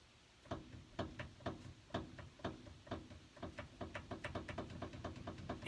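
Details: 2011 Ford Ranger pizza delivery truck, steering wanders, tie rods replaced 2018; wheel raised: dull clunks about twice a second while rocking the wheel by hand, from a worn upper ball joint.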